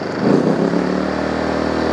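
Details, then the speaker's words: PowerSmart 2200 watt inverter generator, warmed up, revved up; small engine climbs to a steady higher even hum, a little louder but still quiet and healthy. "okay so obviously a little louder revved up still not crazy loud y'all at all"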